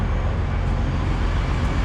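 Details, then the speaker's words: Stretched Peterbilt truck idling after tightening a loose air suspension airbag valve fitting that had been hissing: only a steady low diesel rumble with no air hiss. The leak is fixed. "oh yeah see there's no you can hear the airbag air not now but last time or before i tighten that thing all you could hear was the air hissing out of that valve so that makes me happy it was just i needed to tighten it up and that fixed the problem"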